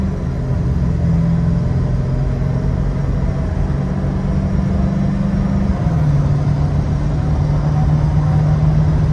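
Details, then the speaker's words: Ford Excursion 7.3 diesel after new up pipes, EBPV delete and Wicked Wheel, driven about 10 minutes: deep, even drone pulling steadily under load with no exhaust leak squeal from the up pipes; healthy. "She definitely pulls better, and there's no more squealing from the up pipes anymore."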